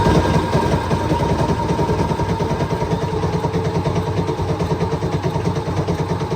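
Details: Cummins diesel in a CVRT Sultan neglected 20 years with rainwater ingress, cranked after fuel feed refitted: steady starter churn at about three compressions a second, even rhythm, never catches; cranks but does not start, though injecting.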